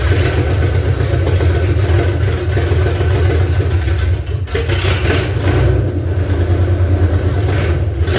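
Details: 1978 Ford F150 derelict truck being revived, no throttle cable fitted, cranked from under the hood: V8 with uneven surging low rumble that dips and stumbles; rough running, won't hold idle.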